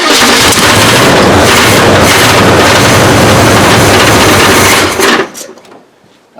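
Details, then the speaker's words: 1973 Chevrolet K20 small block, first start in 20 years after fuel priming with manual choke: loud harsh running with fast even metallic rattle, then shuts off; torque converter not bolted to flywheel, bolts separated. "uh all that rattling is that the torque converter is not connected to the flywheel at all the bolts are separated"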